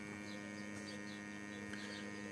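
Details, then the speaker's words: Sewerin Variotec 8 tracer gas leak detector switched on, its built-in sniffing pump running with a steady, even electric hum and faint high whir, no surging; normal operation. "Petit bruit désagréable. Donc là on on entend la pompe."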